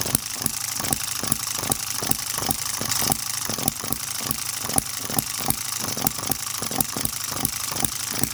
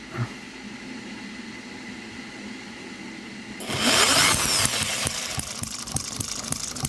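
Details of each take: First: Microcosm M96 "Oddball" 2cc hit-and-miss model engine with new 1.5V electronic ignition and smaller-scale spark plug: crisp regular pops about two per second with even gaps. Normal hit-and-miss running until fuel seems to be running out. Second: New Microcosm M96 "Oddball" 2cc hit-and-miss model engine with electronic ignition, first setup: quiet lead-in, then sharp, irregular popping firing strokes. Ignition is set too far advanced and is about to be retarded while running.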